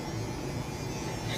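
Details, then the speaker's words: Contactor in an AHU control panel gives a steady, loud, low-pitched electrical hum that never changes; the contactor is humming loudly and the reason has not been found. "कितनी आवाज़ आ रही है contractor के अंदर से। क्यों आ रहे हैं? हाँ, इसका क्या रीज़न हो सकता है? ये कॉन्ट्रैक्टर के अंदर बहुत ज़्यादा साउंड आ रहे हैं।"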